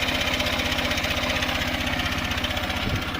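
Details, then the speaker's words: 2023 Honda CB125F single-cylinder at idle after a 128 km ride, following cylinder head repair with Threebond silicone: quick light top-end ticking, about three per second, steady; owner concerned, had smoke after earlier rides, plans valve check; cause unconfirmed. "I've just come back from a 128 kilometre ride. There's definitely some noise coming from the engine."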